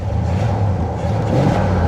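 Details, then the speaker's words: 1979 Cadillac Coupe DeVille, 7 L 425 cu in V8, about 68,000 original miles, parked 27 years. At full throttle a deep, even roar builds strongly with no misses or knocks. Responsive, though it idles poorly. "I'm flooring it. Listen to that. It's responsive."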